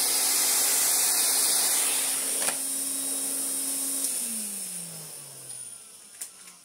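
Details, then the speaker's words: Restored 1980s Hoover Constellation 867a vacuum with an 80s Miele floor head on a custom adapter gives a steady airy rush with an even motor hum, then winds down smoothly; normal running with strong airflow. "But, you can just hear the air flow."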